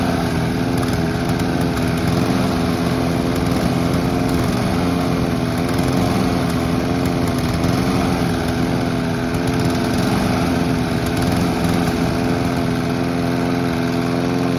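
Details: Honda and Mountfield petrol lawn mowers being run out of fuel for winterising: two small engines buzzing at steady even pitch, no surging or misfiring; normal running.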